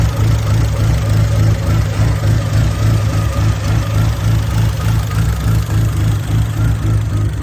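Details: SRT4 with big cams, big turbo and much larger injectors, first idle after a new starter on a rough estimated fuel setup. A choppy, lumpy idle pulsing about three times a second: rough idle from the untuned fuel map.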